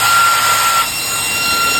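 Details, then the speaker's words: Used Delta Electronics server fan, brushless ball-bearing, DC 12V 3.30A rated, running high speed at about 2.5–2.6 A: a loud, steady rush of air with a high, stable whine, no wavering or rattle. Louder than the other fan, and healthy. "Ini jauh lebih kencang. Dari suaranya sendiri sudah terdengar. Untuk teriakannya dari kipas ini lebih kencang."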